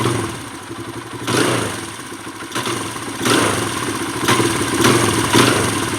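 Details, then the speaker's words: Kawasaki KLX140 that also has a hanging idle: revs flare then sag on each blip and it stays boggy even after the air screw is turned half a turn in (richer); a lean off-idle bog, the pilot jet is too small. "So it's still boggy, maybe a tiny bit better. That means that the pilot jet is definitely too small. We need to go up on the pilot jet, which is pretty typical on this KLX140."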